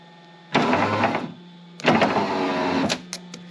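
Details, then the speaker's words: Foxbody Ford Mustang with a bad power window switch; the window is powered by bridging two connector terminals. Two smooth, even whirring motor runs as the window goes down, with no binding. Normal window motor and regulator. "so do you see that the window just went down so wherever that is that when the switch hits when the switch connects these two makes the window go down"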